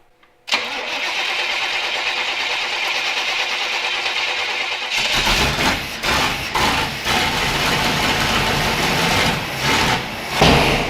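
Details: Jeep YJ rebuild, cranked after finding the fuel pump wiring fault and cycling the key for fuel. Silence, then steady cranking for a few seconds before it catches and runs unevenly with bursts of revs; engine starts.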